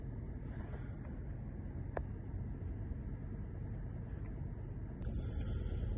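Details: Mercedes E63 AMG V8 after fixing a split coil pack boot to cure a cylinder 7 misfire, engine light now cleared: deep, even idle with a steady level and no stumble or skip. Normal idle.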